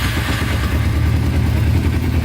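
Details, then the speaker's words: 2000 Kawasaki Ninja 250 with Yoshimura pipes, after idle screw adjusted to push up the carburetor slide, choke off: low, even putter with steady throb, no misses or stumbles; normal idle. "yeah. She's idling. And the headlight does work."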